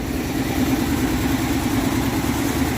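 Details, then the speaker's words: 1962 Dodge D200, 318 Poly V8, off road since about 2013, revived: steady even idle with smooth low burble and no misfire; plug looked better, runs pretty good. "we looked at that plug and it looked a lot better than it did and well the cylinder i mean but it still runs pretty good listen uh for what it is i really can't ask for much more than that"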